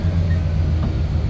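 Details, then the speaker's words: 1990 Dodge Power Ram 150 4x4, apparently V8, sat about five years, just restarted after fuel pump replacement and coolant top-off; deep steady even idle with no knocks or ticks, good oil pressure, runs very quiet: normal idle. "uh seems to have good oil pressure runs good very quiet"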